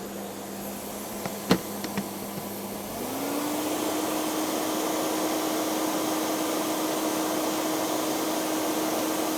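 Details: Hoover Sensotronic Total System 50 vacuum cleaner, heavily damaged unit, first power-on test; a few clicks, then motor spins up to a steady even whine and holds smoothly; motor sounds healthy.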